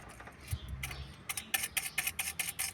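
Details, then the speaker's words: Ford Fiesta 1.0 Zetec Rocam with lower-engine noise, clutch disc near end of life: clutch release bearing of hydraulic actuator spun by hand gives dry rattly ticks about five a second instead of smooth spin; worn, replacement recommended with clutch. "Também já tá apresentando barulho, tá? Esse aqui é o atuador hidráulico."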